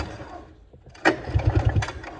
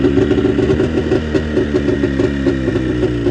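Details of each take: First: Arctic Cat JAG 3000 snowmobile, engine isolated from wiring harness with kill and key switches disconnected: short burst of rapid even pull-cranking that never fires; no spark. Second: Arctic Cat JAG 3000 two-stroke snowmobile after repairs, started with key on, choke engaged and throttle cracked before a test ride: fast, wandering idle with light throttle blips, running cleanly without stumbling.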